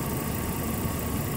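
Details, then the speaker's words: Toyota Prado alternator previously not charging, belt found very loose, now charging toward 14.4 V: steady, even idle with slightly heavier loaded note, no belt squeal or slipping; running healthy. "a good voltage should top out at fourteen point four I can hear the engine is loaded but enough"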